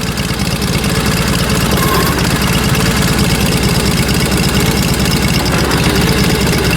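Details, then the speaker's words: Engine started without choke and runs pretty darn good: a steady, even, low single-cylinder thump with no misses or knocks, healthy and settled idle. "see if you start without choking pretty darn good pretty darn good"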